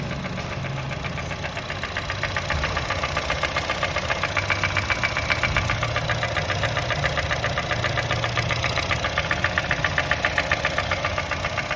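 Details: 2010 Honda City i-VTEC: steady sharp knocking about 2.5 per second over idle; valve tappets adjusted first without change, engine opened found piston no. 2 seized without oil, loose rings, lost compression; piston rings replaced, block polished.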